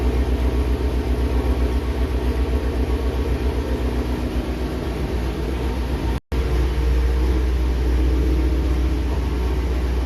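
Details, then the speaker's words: Very loud, deep, lumpy, even idle rumble from a 3,800-mile 2019 Shelby GT350 with a new Whipple 3.0 supercharger and ARH long-tube catless headers, first startup without boost; normal idle with open headers. "that'll break your eardrums that is so loud I'm so happy right now"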